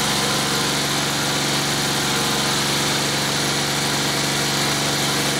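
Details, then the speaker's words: New Honda GCVx170 single-cylinder engine, freshly serviced, cold-started at about 20 °C: it runs smoothly and evenly with a steady fast patter and no misses or knocks. Starts very easily and sounds like a typical Honda; healthy idle. "Når det så er sagt, så kører motoren rigtig, rigtig godt. Meget, meget let startende og lyder fuldstændig som en Honda."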